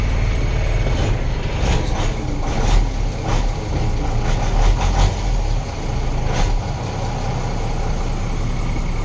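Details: Pickup truck in original condition with a newly replaced battery, idling: a steady, even low idle with no knocks or misses, only light clatters from around the truck; normal idle.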